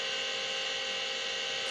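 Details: Vintage Seagate 5.25in RLL hard drive, smashed in the mail, low-level formatting and still working: steady high whirring hum with no knocks or scraping; the spindle motor sounds a bit tired and laboured.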